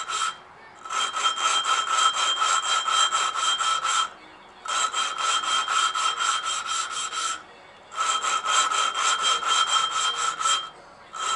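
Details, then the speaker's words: Hand lapping valves from a 660 engine being rebuilt for valve stem seals leaking oil: rhythmic gritty back-and-forth rasping in strokes about three seconds long as coarse paste cuts the seat, before fine paste. "if i do this a little bit long then i'll change the full fine stuff do that for a little bit and then you might be able to hear it actually cut into it"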